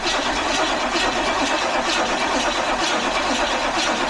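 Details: Power Tour project car after battery charging, with the fuel pump fed directly to test the relay: the engine catches and holds a steady, even run with no stumble. The relay is suspected as the fault.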